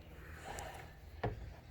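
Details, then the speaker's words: Concept 2 rowing machine after replacing the idler arm pulley and traveler pulley, casing still off: quiet smooth chain retraction, soft low hum and one light knock, the earlier odd noise gone. "seems to retract nicely so I'm very thankful very happy that you guys were able to solve my problem"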